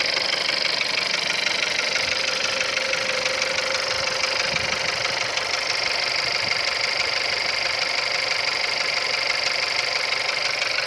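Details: CJZC 1.2 engine at cold idle gives a regular sharp, high metallic tapping about twice per second over a quiet engine. It knocks when cold; the cause is unknown.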